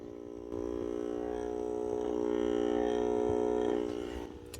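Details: Ford EcoSport: steady, nasal electric buzz from the dashboard after the car is started, from the cabin interior temperature sensor fan.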